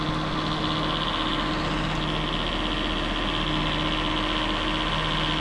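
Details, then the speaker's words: 2011 Jeep Grand Cherokee WK2 3.6: engine running with steady hum and light uneven rattle once AC compressor kicks on; worn bearing in AC clutch pulley wobbling. "clutch assembly or more like a pulley where the clutch assembly goes on top of it it just starts to wobble and creates all sorts of noise"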